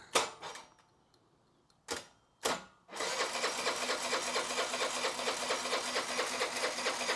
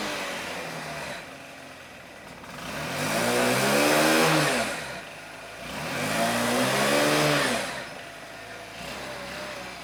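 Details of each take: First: Honda Elite 80cc scooter after carb rebuild kit, new O-rings and idle jet set 2.5 turns out, battery charged: a few starter bursts, then steady whirring cranking about two beats a second that doesn't catch yet. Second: Honda Elite 80cc scooter after carb rebuild kit (new O-rings, idle adjustment jet), warm day: two smooth throttle blips climbing and falling back to steady idle, no misses; runs much better than before, though intake boot still leaks.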